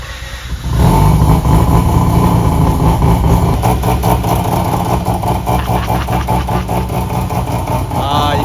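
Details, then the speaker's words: Modified Mazda RX8 rotary after AEM methanol injection install and idle control changes, before tuning: starter catches within a second, then a fast, busy, even idle with no misses; healthy start and idle. "can't beat that sound."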